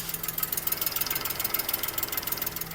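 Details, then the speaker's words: 2007 Suzuki Cultus, non-EFI engine, idling: quick, even light ticking about ten a second; tappet noise, quieter in the morning and worse once the engine warms up after driving; worn tappets chattering in the valvetrain. "अच्छा दोस्तों यह टपट की आवाज है और यह आवाज mostly non ई गाड़ी में आती है जिन गाड़ियों में यूरो इंजन नहीं हो उनमें आती है"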